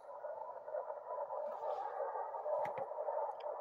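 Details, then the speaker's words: Ham radio receiver on 3526 kHz, bottom of 80 m band, S3–S6 readings: steady hissing band noise with a few sharp irregular crackles, normal distant lightning static, not bad for 80 m. "that's distant lightning noise that's not bad for 80"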